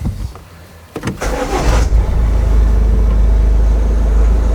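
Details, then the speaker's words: Ford Kuga 1.5 diesel (2017 or 2019), previously stalled while driving and would not start, after repairing a broken wire: short crank, then catches within a second and settles into a steady even idle; healthy start. "Отлично. Есть. Ну всё, автомобиль запускается, работает."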